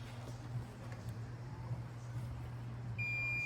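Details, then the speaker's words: Multimeter continuity check on a Ram 1500 5.7 melting ignition coils: faint scratching, then a steady high beep confirming the control wire goes to coil 7; continuity beep. "So to demonstrate, if you got continuity, 2 wires, you'll hear it beep."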